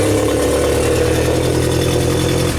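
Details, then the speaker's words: 1992 Genie boom lift engine: steady, even idle for a few seconds, then it fades and dies; suspected safety relay cutting the ignition after about 3 seconds, running clean otherwise. "it's like off so that is one of the safety relays now not being happy and shutting that off"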